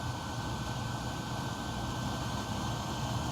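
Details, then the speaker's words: PS4 console in game, external fan off: steady loud airy whir with a constant high tone like a jet spooling; internal cooling fan loud from dust buildup, before cleaning. "Yep, I'm starting to hear it right now. And I have the fan off."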